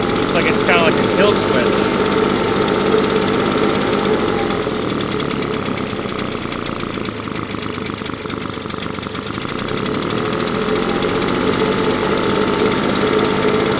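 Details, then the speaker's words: Husqvarna 350BT leaf blower, previously sputtering at full throttle, after replacing carburetor, spark plug and fuel filter: steady, even two-stroke drone at constant pitch, no sputter or surging, much better than before; normal running. "well I can tell you that this is running much better than it was before"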